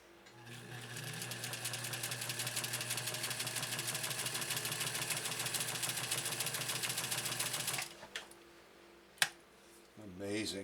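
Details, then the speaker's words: 1956 Atlas sewing machine with an oscillating hook, stitching 100% cotton at a shorter stitch length; fast, even, light needle clatter with no knocks or binding, running quieter than a Featherweight. "amazing such a big strong machine and yet it's just it runs quieter than a feather weight quite honestly it truly does"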